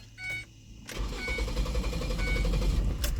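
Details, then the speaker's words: Engine with code P0400, no check engine light, extended-crank complaint: catches after a short crank and settles into an uneven, huffing, surging lope. A vacuum or evap leak was first suspected; the cause was an EGR valve stuck open. "So an extended crank there. Let me cut it back off. It started loping like a camshaft was in there."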